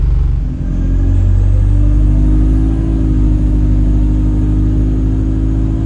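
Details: Chaserider 497 (YX67 UYA), Alexander Dennis Enviro 200 E20D diesel bus, felt sluggish: a thin high whistle over the steady diesel rumble creeps up in pitch as the bus pulls. The noise later turns horn-like; owner suspects the gearbox, as it was much louder towards the front.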